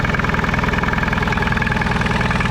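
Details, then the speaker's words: Small engine of a microcar (moped car), said to have 20,000 mileage and stood about 5 years; chugs with a hard uneven pulse around fourteen beats a second; sound disliked. Rough running. "Bet tā skaņa vispār nepatīk."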